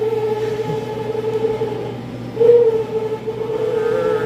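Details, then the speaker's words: Prep table refrigeration fan, C-frame motor: wavering mid-pitched squeal over the fan hum, rising and falling like a cry; technician guesses a failing motor bearing, motor then replaced with a C-frame motor kit. "That is a bearing going out on a C-frame motor, is my guess. That is pretty funny sounding though. It sounds like a seal that's calling for its lost babies."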